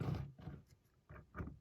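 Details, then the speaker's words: Triang Dock Shunter R.253 model locomotive with knurled wheels, test run on track: uneven low rumbling bursts as oversized wheel flanges ride on the rail clips/chairs; runs, may need service. "riding on the rail clips or seats. Yeah, so you can hear it there. Those flanges are just a little bit too large."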